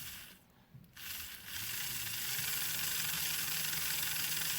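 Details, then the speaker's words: Old 0-6-0 diesel shunter model locomotive on a power test after soldering the connections, picking up current from the wheels. A high motor whirr with a steady light gear tick about four times a second: normal running. "Picks up all right from those wheels. Picks up all right from those wheels."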